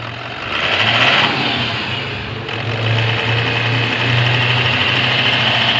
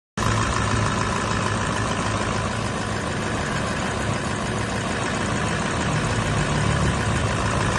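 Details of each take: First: 2017 Toyota Land Cruiser VX200 diesel after repair without overhaul of knocking, low power and oil loss: smooth, steady idle hum and even hiss, with the ticking and knocking gone. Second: Toyota land cruiser vx 200 diesel engine knocking, low power, engine oil reduce oli mesin berkurang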